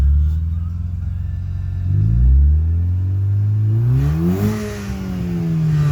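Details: 2007 VW GTI Mk5 2.0 with upgraded K04 turbo, out of limp mode after replacing the high-pressure fuel pump, catalytic converter cut off: revs climb in a clean, smooth sweep past 4k rpm without bogging; normal turbo spool.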